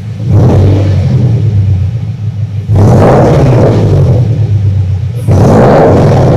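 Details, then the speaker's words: 2015 Subaru Impreza right after installing an Invidia R400 catback exhaust, first start, free revs to about 2-3k rpm: deep, even rumble with no knocks or rattles, a bit louder, likely still breaking in. "First impressions. It is a awesome sound. First and foremost, a little bit louder, but I think it's just breaking in."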